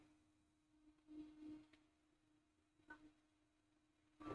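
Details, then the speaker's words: 3D printer axis after lubricating a dry rod: faint steady hum and soft movement sounds, no squeal or scraping, much quieter than before. The dry rod was the cause. Normal quiet axis movement. "there we go it's much quieter now it's not freaking out so bad so obviously it was a dry Rod"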